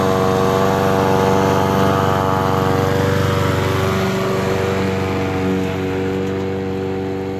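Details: Honda HRN 216 petrol lawnmower after its surging and rough idle were fixed by cleaning the carburetor pilot jet: the engine holds a steady, even speed with no surging or hunting.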